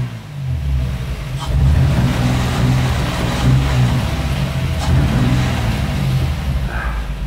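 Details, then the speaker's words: Toyota Supra manual turbo-conversion engine at first start with no exhaust fitted: loud open-exhaust revs rise and settle smoothly with no knocks or misses, running normally. "though he runs he runs good listen to that baby"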